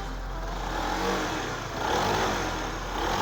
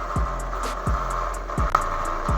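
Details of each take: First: Honda New CB150R single-cylinder, kick-started after correcting a badly welded, off-centre balancer/magnet that had caused a tiger-like growl: gentle rev rises and falls with even firing, no knocks or rattles. Now running smooth. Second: Honda New CB150R kick-started because the electric starter is weak, after balancer welding: steady tiger-like droning hum with low pulses. Flywheel magnet off-centre and rubbing the stator; owner suspects the stator coil or crank bearing.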